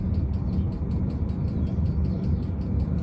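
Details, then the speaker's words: Ultra-quiet replacement fuel pump on a 5KW Chinese diesel heater at full speed: soft even ticks about five a second over low fan rumble, much quieter and less metallic than before. "still heit that tick tick tick but it's so much quieter sounds less metallic in a way"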